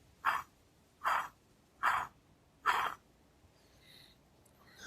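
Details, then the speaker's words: Removed water pump from a Lexus RX350 3.5-liter V6 2GR-FE, bearing spun by hand off the engine: four short gritty rasps, one per spin; worn water pump bearing, replaced with Aisin OE pump. "this is taking a closer look at the water pump that I've removed and to show you where the noise was coming from just going to spin this bearing and I hope you can hear that"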